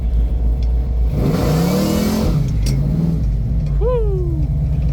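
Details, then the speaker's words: Supercharged 496 big-block Chevy V8 in a 1972 Chevelle, carbureted with big primary headers and MSD ignition, on the road at about 70–80% throttle: deep roar climbs smoothly in pitch, pulling strong and clean; normal acceleration. "I feel like it was uh maybe like 70 80 throttle I definitely didn't touch the floor so this thing is a monster man what a beast"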